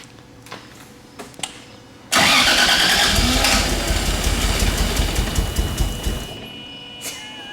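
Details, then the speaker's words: 2JZ-swapped turbo Nissan 240SX cranked with no ether: a long crank, then it fires and runs ragged on what sounds like two or three cylinders, with a tight-sounding turbo. Timing was suspected; the misfire is from a broken crank trigger tooth. "Turbo sounds tight. It's just like it's almost like it's like not running on. It sounds like it's running on like 2 or 3 cylinders."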